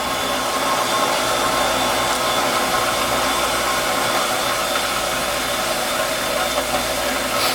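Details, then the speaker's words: Half-horsepower shallow well jet pump on a two-inch well with a 40-gallon galvanized tank, after repair (capacitor, start switch, pressure switch replaced, waterlogged tank fixed): steady even rushing hum, no surging or cutting out; normal running, cycle just over 30 seconds. "all right so here's the cycle time on this half horsepower shallow well pump on a flow wheel with a 40 gallon standard where the SEC 3560 comes along as well"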